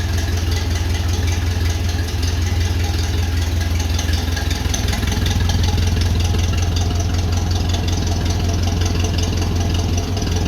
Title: First Start after full engine overhaul!! 1955 Ferguson 20 TED TVO